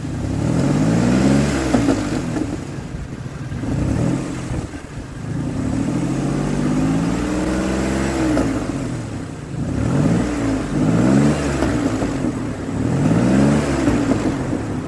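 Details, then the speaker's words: 2003 Ford Explorer that failed inspection for misfire, after replacing an ignition coil: engine blipped up and down cleanly without stumbles or popping, running smoother; firing evenly. "it's running smoother than it was and once I once I put some pressure on it goes right out I like it"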